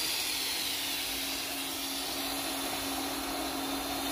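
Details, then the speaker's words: Pool pump and Hayward filter just restarted after filter cleaning, primed and running at 100% for the first 3 minutes: steady motor hum with even watery hiss, decent pressure on the gauge, no rattling or surging; normal running. "You got decent pressure on the pressure gauge. All right, looks like we're up and running."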